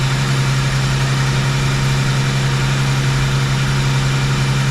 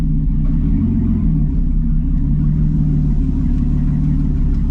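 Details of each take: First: Rochester 2G carburetor after rebuild, idle mixture screws being adjusted. A steady low idle hum sags in pitch as a screw is turned in, from too lean a mixture; the screw is then backed out about half a turn. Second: V8 after Rochester 2G carburetor rebuild and lowered idle, on test drive: deep, even rumble pulling steadily with no stumble or hesitation between gears; normal acceleration.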